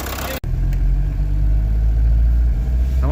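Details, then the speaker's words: 1986 VW Jetta 1.6 turbo diesel after a tow-start, on the drive home with heater working, coolant circulating and oil pressure: steady, deep diesel rumble holding even after the start, no misses or knocks; normal running. "well we're on our way home with it she's running heater works it's circulating Cooling got oil pressure doesn't really seem to be a whole lot wrong with it"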